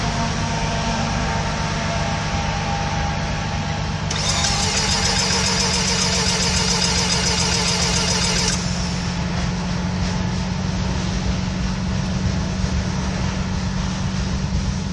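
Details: First start attempt: steady, laboured cranking at about four turns a second without catching, a slow crank with no start; gasoline smell, and the engine is thought to be flooded.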